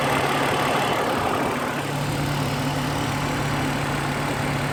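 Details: Engine at idle with a light, fast tapping clatter over the hum, diesel-like and quite noticeable; owner suspects lifter tick, cause not confirmed.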